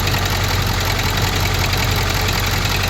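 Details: 6.4 Powerstroke diesel at idle, oil and coolant gauge reading about 73, not fully warm; steady low rumble with a loose, uneven rattle over it, source undetermined; engine had stalled when temperature was around 80.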